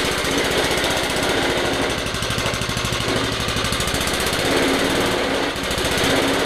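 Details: Old lawnmower bought not running, after its seized drive chain was freed and it was reassembled: a small single-cylinder engine gives fast, even popping and holds speed without stumbling. Normal running.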